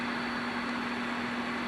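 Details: General Stonewall Jackson radio, after replacing a power-supply capacitor on the amp board: steady low hum and even hiss with no thumping or pulsing.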